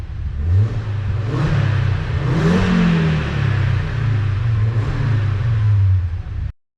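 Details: Audi RS engine swapped into a VW Caddy van, first-drive day: a few clean revs that rise and fall smoothly, no ticking heard over the engine note; engine sounds healthy when blipped.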